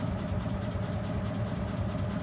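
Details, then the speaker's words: Old French flathead engine in a 1941 pickup, idling in neutral at about 15 psi oil pressure, near 170 temperature: gentle steady mid-pitched whine above deep even idle, from mismatched cam and crank timing gears after a gear change. "that's about 15 psi on the idle lows I can I can hear that gentle wine on that gear"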